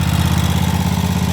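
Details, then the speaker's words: 2011 Land Pride zero-turn mower that sat several years, now with a new battery and fuel filter; the choke cable is still stuck. It runs on its own power but very smoky, with a steady, slightly uneven chugging idle. The owner thinks it probably needs a carb. "but she is running on her own power I have had to do nothing it probably needs a carb"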